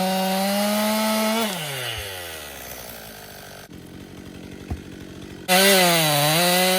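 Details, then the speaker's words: Stihl MS261 M-Tronic chainsaw, warm: revs high and steady through the cut, drop when the bar jams, then restart and rev cleanly; running well. "It's working good. Just jammed it up."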